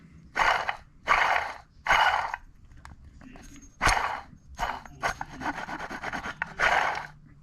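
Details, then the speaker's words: Old water pump from a supercharged GM 3.8L 3800 in a Buick Regal GS, spun by hand, gives gritty, uneven rasping from a loose bearing with felt play. It was the source of the loud squeak; the new pump is silent. "I can feel the the play in this bearing, so it's not good. Let me set this up real quick so I can show y'all what it sounds like. All right, so this is the old water pump. You hear how bad that sounds?"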